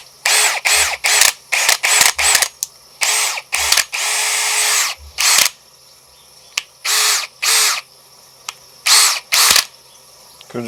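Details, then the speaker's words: New AEG BSB18BL-0 brushless cordless drill running free at no load: short high-pitched bursts with dull low clunks in some runs. The owner suspects gearbox backlash; his Milwaukee drill makes a similar, less prominent clunk. "be some sort of backlash in the in the gearbox"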